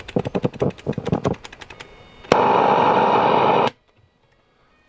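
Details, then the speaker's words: Hacker Sovereign 2 RP25A radio, reportedly not working, first power-up on a supply at 18 V with current limit set low: a loud steady rushing hiss cuts in for over a second, then drops out; medium wave springs into life, suspected dodgy waveband switches. "rushing noise I think it just so medium wave Springs into life there I think it's dodgy um switches so I can get medium wave to work"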